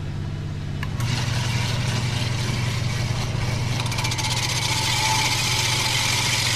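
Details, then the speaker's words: Jacobsen greens reel mower, reel backlapping with compound driven by a hydraulic motor: a steady motor hum under a gritty hiss of reel against bed knife. The grinding lightens as the compound wears out; more compound and a tighter reel-to-bed-knife setting are needed. "you can hear how it's not grinding quite as heavy anymore we'll put a little more on it's like un coach seen it wore out the compound"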